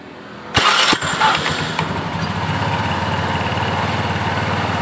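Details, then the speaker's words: Honda Beat scooter at idle after fitting a new CVT roller housing; the earlier rough clattering was suspected to come from a worn, loose roller housing. The engine settles into an even, very smooth idle with no belt-drive rattle: normal CVT idle. "[Tepuk tangan] bisa didengarkan Suaranya sangat halus"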